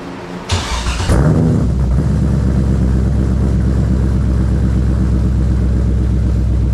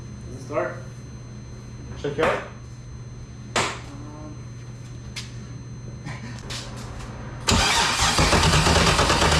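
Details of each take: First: BMW E46 with LS6 V8 swap, first startup after reinstall: cranks briefly, catches at once and settles into a deep, steady, even V8 burble with no misses or knocks. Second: BMW E46 with LS6 V8 swap, first start attempt after sitting a year: starter spins the engine in two long, steady bursts with no firing or catch; cranks but won't start, cause not confirmed.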